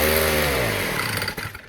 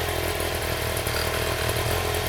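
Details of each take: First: 1960s Fuji Go-Devil folding minibike, freshly rebuilt with the clutch just assembled, small engine: it revs up with a buzzy tone, then stumbles and briefly cuts out under throttle. Owner suspects the choke was still on. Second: 1960s Fuji-Motor Go-Devil folding minibike, first run after clutch assembly: small engine holds a smooth, steady, buzzy idle with no surging or rattles; wheel stays still at idle and the clutch engages with throttle.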